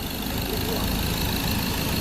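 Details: Ford 2.0 Bi-turbo diesel at 150,000 km, after a third injector repair following pump failure: metal debris had stuck the injector needles, and the tank was cleaned. Warm engine ticks over smoothly and evenly with no misfire, rattle or hunting; healthy steady idle.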